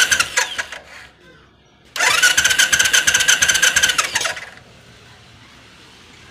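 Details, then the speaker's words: Royal Enfield Classic 500 BS3 EFI, fine a week earlier; starter spins about two seconds but it never fires, no fuel pump buzz when the switch is cycled, no current reaching the pump; crank no start, fuel pump not running. "अब मैं इसको on off करता हूं button को और आप लोग ध्यान से सुनिए इसका फ्यूल पंप नहीं चल रहा है"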